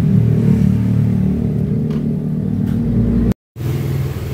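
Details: Yamaha Mio GT scooter after fixing a no-start wiring fault, with error codes 42 and 37 still stored. Smooth running that picks up cleanly on a throttle blip, no misfire or stumble; normal running.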